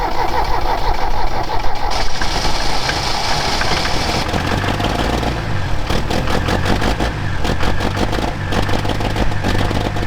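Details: Mercedes OM615 diesel in barn-find Unimog 421 cranks, catches and settles into an uneven, lumpy idle with irregular knocks; rough running, owner suspects injection pump timing way off after pump was refitted in a wrong position, before fixing.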